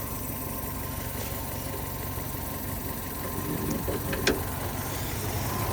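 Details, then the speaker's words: Fiat 500 1.2 petrol, 5-speed, 95,000 miles, at idle: steady idle with faint uneven puffing tick, exhaust blow leaking from the exhaust manifold gasket, to be taken apart and fixed. "yeah it looks like it's um leaking from the gasket the exhaust manifold gasket"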